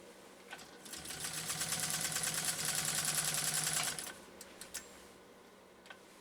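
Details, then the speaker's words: Singer 201-2 sewing saddle-grade leather with a pre-drill, after workbench repair of a troubled, gummed-up motor with bare wires that lacked power: quick, even ticking at about 200 beats a minute with steady motor hum; runs smoothly and strongly under load. "And listen to that machine run, folks."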